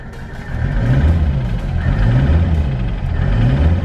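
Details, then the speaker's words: Mercedes diesel after idling a couple of minutes with Seafoam in fuel and crankcase oil: repeated throttle blips climb smoothly and drop back to idle; it could not be revved before. "all right guys it's literally only been like a couple of minutes just letting the car idle to get the seafoam flowing through I can actually rev the car the car wasn't able to be revved before"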